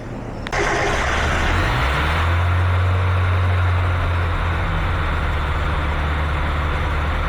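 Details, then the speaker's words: Mazda NA Miata petrol engine with a custom remote idle air control valve on a hose back into the intake, not yet fully wired: fast, steady high idle even with the valve plunger closed; valve not controlling idle. "So, you can hear it's idling really high. And that's with the valve closed."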